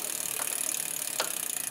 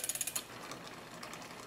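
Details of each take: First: Bike build, front derailleur adjustment, chain on innermost chainring and rear cog while pedaling: light continuous hissy scrape with faint ticks, gone after backing the cage off. Front derailleur cage rubbing on chain. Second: New bike build, front derailleur adjusted close with rubbing backed out: a few quick ratcheting clicks, then soft even whirr of chain over sprockets, no rubbing; normal drivetrain noise.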